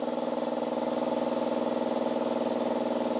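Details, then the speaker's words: Long-stored air compressor restarted after letting the oil settle: steady, even pump pulse at about four beats a second with a clean hum, charging normally. "all right let's turn it on again and see if it there you go seems to be"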